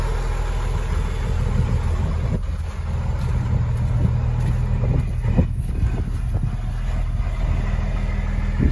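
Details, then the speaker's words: 2004 Blue Bird SC2000 transit bus, six-cylinder diesel, sat a long while, just started cold, heard outside: deep even clatter at low idle, no misses or knocks, little smoke; normal idle. "Oh, that sounds lovely. Oh, I love the sound of a six-cylinder diesel. It just makes all the right noises."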